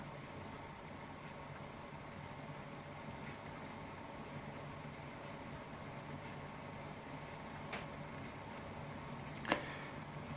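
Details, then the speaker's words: P2 model locomotive with a new, lightly oiled X9108 replacement motor, still running in, at about a third throttle: quiet, even low hum without surging or grinding; the old motor, not the wobbly wheels, was the cause. "um and uh yeah it works a dream and is so much quieter than the old motor too so it was the motor which was giving me that issue it wasn't the wobbly Wheels it was the motor"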